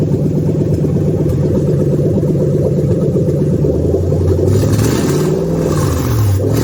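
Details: Toyota 3UZ V8, ECU flashed for manual, being swapped into an IS300, no radiator fitted: catches and runs with a steady, even low rumble, then a couple of smooth throttle blips; healthy, no knocks.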